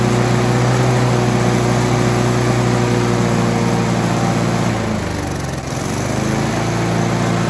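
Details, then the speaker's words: Scott Bonnar alloy mower with a Briggs & Stratton 4-stroke after a governor spring swap: the butterfly now works, revs climb and the governor pulls them back, holding a steady high buzz with brief dips and recovery; normal governed speed. "swapping that Gardener Springer has made a huge difference when you start up the lawnmower you can see that butterfly is actually working as the engine revs up you can see the engine is trying to govern it back"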